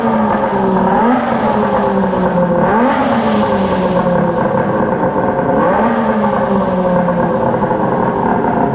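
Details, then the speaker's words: Polaris 680 Ultra triple two-stroke with freshly built engine, assembled that morning, and new Tim's precision water pump; revs up and settles back in smooth, even blips, no knocks or rattles, pulling clean and sounding healthy. "Sounds amazing. Love it. Fresh engine, just built it this morning. Put a new Tim's precision pump on it."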